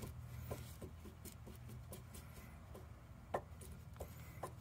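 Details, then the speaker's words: 2016 Chevy Cruze Premier Turbo, front driver side, engine off with the wheel off: soft irregular clunks each time the wheel is rocked by hand, from the loose lower joint of the sway bar end link. The strut was also faulted. "i believe this is the issue like i said do this about 70 miles an hour this will probably drive you nuts and then probably resonates"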